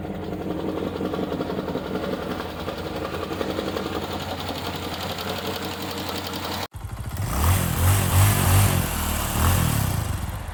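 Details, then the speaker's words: 2012 Chevy Caprice PPV 6.0 LS V8 a month after a DOD delete with stage 2 cam, new lifters, rockers and springs, idling: light, quick ticking steady with engine speed over the rumble; valvetrain tick. "uh very unfortunate thing happened uh it's knocking or clicking or ticking wherever"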